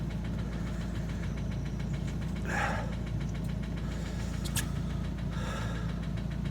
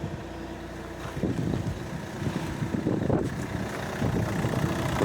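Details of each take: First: Opel Astra H Z17DTH diesel with Bosch fuel system, after an overhaul and injector replacement elsewhere, idling with a steady metallic knock traced by cylinder cutout to cylinder one; internal engine damage, engine to be replaced. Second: Opel Astra H Z17DTH diesel, fuel system Bosch, idling after engine replacement following a failed overhaul, cooling system being checked: steady even low rumble, no knocking or clanking, normal idle.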